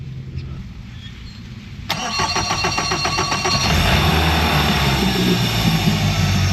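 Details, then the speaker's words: 2023 Mercury 150hp four-stroke outboard on water tub, unheard before: catches after two seconds and settles into a steady, even run with throttle slightly raised to warm up; sounds good and runs well. "for some reason that's I mean it sounds good runs really good nice and I've got the throttle up just a little bit to warm it up"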